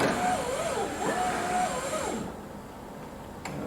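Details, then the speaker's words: 2000 Chevrolet Corvette C5 hardtop, original driver's window motor tested before replacement after the window stuck down with a weird noise: thin strained wavering whine, slow and labored; weak motor, grinding suspected from a broken gear tooth inside it. "a little weak but it's working sounds like a very weak motor"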